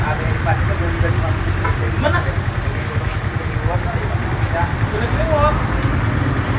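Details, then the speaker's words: Yamaha MX King 150cc after an engine teardown repair for a rough engine noise, radiator coolant refilled. A low, even idle thrum with no knock or rattle, over street noise; normal smooth idle after repair. "Jadi bisa kalian nilai sendiri untuk suara mesin dan disini sudah halus tidak ada bermasalah lagi"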